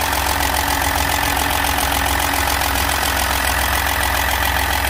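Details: Ford EcoSport Dragon engine, wrong oil used, engine had to be opened; rapid fairly even ticking knock, three or four a second over steady idle; valvetrain knock, worn cam from oil starvation.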